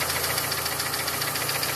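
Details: Evo with a reconditioned Evo 7 engine at 50,000 km on 5W30 oil, ticking for about 2,000 km: a fast, even light tick over steady idle, seeming to come from around cylinder #4. That cylinder's spark plug had a melted tip; cause unknown.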